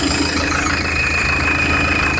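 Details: Citroën Évasion diesel, coolant constantly overflowing the expansion tank, at rough idle with a CO2 test on the tank: a constant thin hiss from the engine centre, not the belts; suspected head gasket leak or cracked block.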